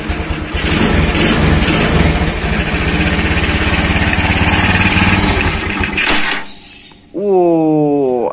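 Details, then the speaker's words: Tiger motorcycle carburetor that flooded and dripped fuel when parked, fixed by cleaning dirt from the float bowl; after repair the single cylinder starts and settles into a steady, even idle with no sputter or flooding stumble. Normal start and idle. "udah sembuh sobat udah sembuh nggak netes kembali Coba nah oke langsung kita tes dulu kita Nyalakan sepeda motornya"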